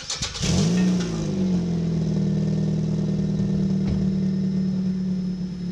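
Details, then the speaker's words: Exhaust after a no-weld DIY patch of a muffler/pipe leak: engine starts and settles into a smooth, steady low idle with no puffing or ticking, far quieter, system sealed. "alright alright alright so 100 times quieter and we're all set now so it's a quick and easy way to to patch up your exhaust system"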